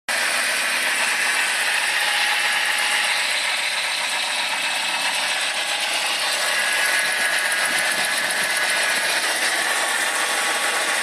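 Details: 1995 BMW 318i M43 petrol engine idles with a busy metallic rattle, about four clatters a second, which began after the water pump failed and the engine overheated; source unknown.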